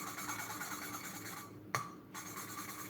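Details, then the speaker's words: Peugeot 307 1.6 16v cylinder head valves hand-lapped with 10W40 oil; the seats were pitted and the head full of sludge and carbon. Dry gritty scraping strokes with pauses as the valve is rotated; the seat is still rough and needs more lapping. "So as you notice, I will turn and I will rotate the valve and I will recommence. So turn, rotate and recommence."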